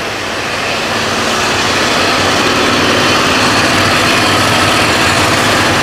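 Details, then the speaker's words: HotJet II trailer-mounted jetter, diesel burner switched on while running the hose reels: loud, constant roar over the engine with no surging, popping or sputtering; burner firing steadily and burning clean, normal burner operation. "Okay, to run heat, you just push the burner on. Now look back at the machine. You can hear it running."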